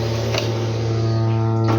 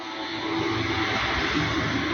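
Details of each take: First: Samsung washer-dryer, switched off and unplugged yet still making a loud steady low buzz at one fixed pitch that shakes the machine, no motor rhythm; points to a vibrating water inlet valve. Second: Samsung front-load washer-dryer on the 15-minute quick cycle: steady water rush during fill with a low hum near the end and no odd noise past the 13 mark.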